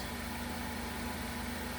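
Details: 2015 Ford Focus 2.0L idling after serpentine belt failure repair, new tensioner and drive belt fitted, battery trickle-charged overnight: steady even idle, smooth low hum, no knocks, ticks or belt squeal; low-voltage codes stored from running without alternator.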